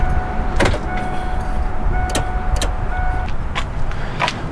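A steady buzzing hum with a second higher tone starts and stops in short bursts at startup, the usual harmless ABS self-test.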